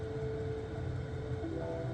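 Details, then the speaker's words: Vevor 2kW diesel heater installed under a VW Caddy Maxi, running at full power after start-up: steady even fan hum with low drone, pump ticking gone; running normally. "But yeah, it's starting to really build up, and the ticking sound's starting to go away. Fantastic."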